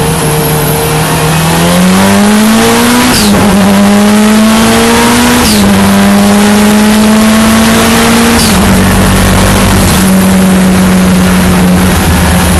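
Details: Escort Cosworth race car on track practice: engine climbs hard, then revs abruptly sag and stumble every few seconds under throttle; intermittent cutting out, misfire or ignition cut unknown.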